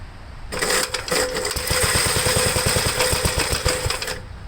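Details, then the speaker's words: 1973 Gravely C8 tractor, cold start on choke: short, ragged run of uneven pops that never steadies; owner thinks it is a little flooded, and battery is weak with slow cranking. "it's gonna be a little scenic seems like it's a little flooded and there goes the battery"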